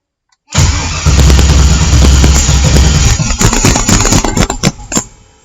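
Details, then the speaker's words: LS-swapped engine on MicroSquirt ECU, coolant about 49°F in garage; starter cranks steadily, engine coughs and stumbles then dies without running; starts only if primed to solid fuel pressure, owner suspects too little cranking fuel. "you see how it kind of like idle out bit kind of like farts a little bit but it doesn't really start so what I think I want to do is give it some more fuel"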